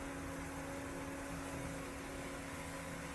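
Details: Hayward pool/spa heater that had been shutting off early, tested after its thermostat calibration screw was adjusted. The burner roar is steady and even with a faint fan hum, and it keeps firing with no shutoff: normal operation.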